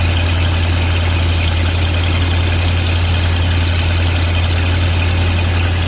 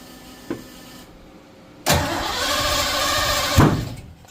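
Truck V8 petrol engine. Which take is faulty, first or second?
second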